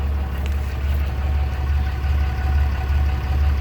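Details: Diesel engine after oil and fuel filter change, fuel system primed: steady, even low rumble at idle, no knocks, misses or odd noises; idling smoothly and healthy.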